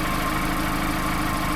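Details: 2016 Mazda MX-5 (ND), 35,700 miles, Copart salvage with blown airbags: steady even idle with smooth low pulse, no knocks or ticks; engine sounds healthy.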